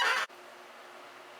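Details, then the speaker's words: Rebuilt Heathkit SB-220 amplifier power supply in low power position at about 2200 volts; short loud burst then low steady transformer hum with even fan whir, no rattles or squeals, no bad noises; normal running. "Not making a bad noises. I did give it a little lubrication."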